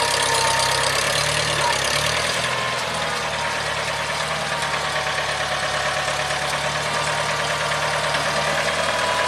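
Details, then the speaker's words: 1975 International Harvester 574 four-cylinder tractor after fixing upside-down installed carburettor venturi that caused stalling under load; steady, even engine note settling after a couple of seconds, no stumbling, sounds like new; normal running. "yep tractor sounds like new"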